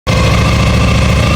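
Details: Honda ST1100 motorcycle at idle: a rapid, even pulse with a busy metallic clatter riding on it. The engine rattles at idle; the cause is unknown.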